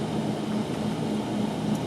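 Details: 2009 Nissan Altima, heard through a Steelman listening tool at the right front hub: a steady rough drone with a faint low hum pulsing through it; bad right front wheel bearing, the left side shows no signal.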